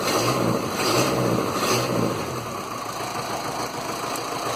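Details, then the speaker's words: Land Rover Series 2a 88 with 2.25 diesel, first runs after setup: steady, even diesel clatter at idle with no hunting. Some blue puffing smoke is visible; owner suspects an injector, possibly piston rings. Normal diesel idle. "But she's idling really well."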